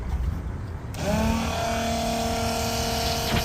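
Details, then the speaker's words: Inexpensive RV macerator pump draining black tank, about 12 gallons per minute: after a second of quiet it kicks on into a steady, even, quiet hum, tearing through waste; normal running. "I'm really amazed at how quiet it is a lot of people said the expensive ones are loud and these cheaper ones run much better and much quieter can hear it tearing through the toilet paper and stuff other stuff"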